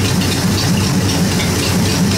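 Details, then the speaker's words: 1953 Ford Golden Jubilee tractor idling cold, not yet warmed to temperature: even, steady low rumble with no knocks or misses; running well and nicely tuned. "still quite cool yet it hasn't of course warmed up to uh temperature yet still nice and cold a big block of block of metal there to warm up"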